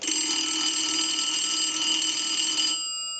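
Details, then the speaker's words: 233G payphone, final checks after repair, ringer driven by analyzer and heard through amplifier pickup; phone arrived without a bell: bright, fast electric bell rings steadily under three seconds and stops cleanly; ringer works properly. "And so I'm going to go ahead and ring the unit with the analyzer."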